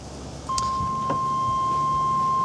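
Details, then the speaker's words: Chevrolet S10 pickup before EV conversion, cab interior: steady high unbroken electronic tone comes on abruptly; door-open warning chime, nothing actually wrong. "something something's wrong not entirely sure what oh it's just telling me open the door that's nice of it"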